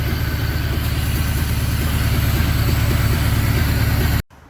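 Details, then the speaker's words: 1981 Honda Goldwing with a new single carburetor, after fixing a vacuum leak. Easiest start since the carb was fitted. Steady, even idle with a low pulse near three beats a second, no misses or hiss; idle may need bumping up; normal idle. "yeah that's the easiest the spike has started uh since i put the new carburetor on"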